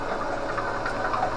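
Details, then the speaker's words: DC motor driving the alternator in an electric-converted Winnebago LeSharo, exciter coils not yet energized and no AVR load; steady airy whir with faint high hum; motor expected to slow once the exciter kicks on. Normal unloaded run. "at the moment as you can hear that everything's just running as soon as that exciter coil kicks on the avr it will slow right down"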